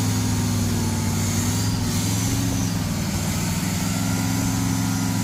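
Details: Burned 1968 Pontiac GTO V8 revived, running after priming the Quadrajet carburetor: deep, steady idle with an even, unbroken burble, no misses or knocks; engine runs smoothly and healthy.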